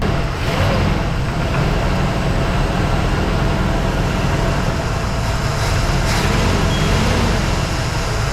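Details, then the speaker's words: 1983 Mercury Capri RS first start after sitting since 2013: low, throbbing idle wavers and dips unevenly, struggling to hold steady; no knocking or smoke, some smells. Rough idle, cause unsure. "sounds absolutely fantastic i mean we got a couple smells but that's normal from sitting for a little while uh she's having a little bit of a hard time idling"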